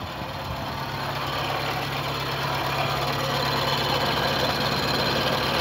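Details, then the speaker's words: VW Gol G3 petrol engine idling with steady low hum and rough whirring rasp like an old bearing, traced to worn water pump bearing; pump later replaced. "Como se fosse um rolamento, aquele negócio velho, sabe? Uma zoadinha estranha."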